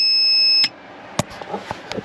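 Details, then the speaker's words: Van 500 W inverter on a roughly 2.5-year-old AGM deep-cycle house battery: shrill high-pitched alarm when a 250 W heater is switched to high (works on low); battery later found dead and replaced. "my inverter starts to scream at me so I don't think it has enough juice to power the 250 watt um heater it works on low but not on high"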